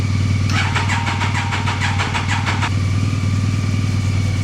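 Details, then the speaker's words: Triumph Daytona 955i being jump-started from another bike: steady fast starter cranking at about three beats a second with no firing, a crank-no-start. "Nothing exploded. Since she didn't start right up, I'm going to just add even more flammable things to the mix."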